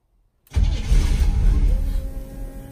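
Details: Two-door bobbed Range Rover Classic with Holley EFI and 3-inch lift, first start attempt: silence then a low continuous churning rumble that wavers but never catches; engine cranks without firing before a retry.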